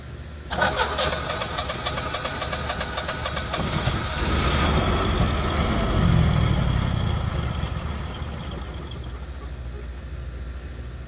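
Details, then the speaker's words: Generac Synergy 20kW VSCF generator showing alarm 1055 (the engine is not coming up to speed): a rough start with dull pops in the intake; backfiring suspected to come from valves out of adjustment. "Okay, if you heard that, there's some backfiring in the intake, which means that your valves are out of adjustment."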